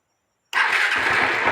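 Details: Honda Titan 150 after replacing the defective cam chain tensioner: the bike fires up cleanly and idles smooth and even, with no rattle or slap from the cam chain.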